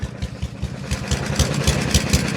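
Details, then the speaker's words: Junk single-cylinder lawn mower being abused with oil, power steering fluid and jack oil, speeding up with a clicky, rapping knock that quickens with revs. Engine knock, source unclear. "Let's see if you can hear the knock as it speeds up. You can hear it a little more. It's really clicky, really knocky."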